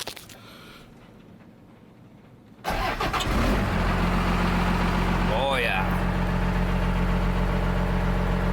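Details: 1989 Dodge W250 first-gen Cummins diesel, 4x4, 5-speed manual, turbo, in neutral, started by switch with ignition missing: brief crank, catches right away and settles to a steady, even idle with no knocks or misses; normal diesel cold start.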